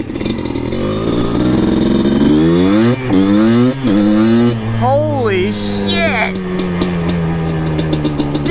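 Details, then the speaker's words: Yamaha Blaster two-stroke after a full rebuild, running with the airbox lid removed: crisp revs with pitch rising and falling cleanly and quick throttle response. It was choked by the airbox lid and now runs strong, though it likely needs jetting. "I know it makes a difference but not that oh my God this thing runs great now wow oh my gosh"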